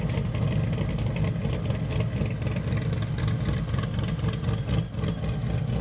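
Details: Chevy Nova pro touring build with a supercharged V8 on a cog-drive blower, dyno tuned; a deep, lumpy, steady idle with a faint blower whine. Normal idle.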